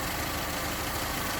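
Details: 2001 Saturn, 50,000 miles, code cylinder 1 misfire: idle with a slightly uneven low pulse and steady hiss. Misfire from an intake vacuum leak.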